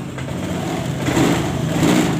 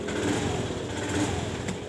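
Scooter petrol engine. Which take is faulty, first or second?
second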